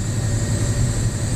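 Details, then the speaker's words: Diesel truck pulling under power: a thin, steady high squeal over the heavy diesel drone, getting louder with more throttle; checks found nothing, an EGR valve code is also present, and the source is unclear. "you hear that that's a terrible screeching noise but hey I checked everything everything looks fine so we just going to have to live with it I guess"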